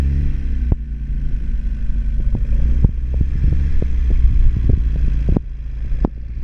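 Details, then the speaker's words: Classic RX mini spare engine, first start attempt after fuel, water, oil and new filter: deep uneven rumble with irregular pops and a bad smell, misfiring and running rough. Owner suspects fuelling set for a bigger engine; cause unconfirmed. "sound like it's like uh popping, isn't it?"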